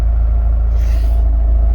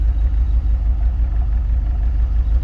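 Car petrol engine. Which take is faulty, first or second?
second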